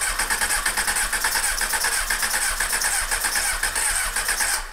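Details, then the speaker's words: 1998 Honda CBR600F3, parked about a year, just-cleaned carbs reinstalled, choke on: starter spins with even rapid chuffing, five or six beats a second, never catches; no start, fuel in the cylinders suspected. "sorry Ed I bet I have gas down in the cylinders this is the way it goes"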